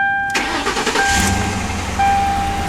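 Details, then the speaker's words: 2005 Ford V8 modular engine (4.6/5.4/6.8 L) at 160,000 miles, first start after new spark plugs replacing badly worn ones: short crank, fires immediately, settles into a smooth, even idle with no stumble; normal start. "Starts right up. Sounds pretty good. We get a little putter."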